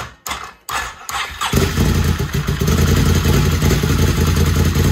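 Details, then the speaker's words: First start of a freshly rebuilt Can-Am 850 Rotax V-twin, fuel pump just plugged in, no coolant in it yet: a few cranking thumps, then it catches at once and settles into a steady, even idle with no knocks or misses. "It sounds so good. Everything looks good."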